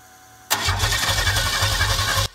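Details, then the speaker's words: McLaren M6GT replica with GM 3.8L supercharged V6 from Bonneville SSEI, after computer reflash, fuel pump running: starter spins evenly about two seconds, no firing; cranks, no start, later troubleshooting checked spark. "and as you see it didn't seem to work so there must be something else going to troubleshoot time for the drawing board"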